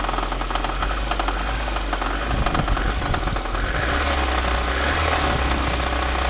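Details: Engine knock on a VAZ 2110 with 8-valve engine at idle: loud, busy engine with a rough, uneven knocking running through it; source unclear.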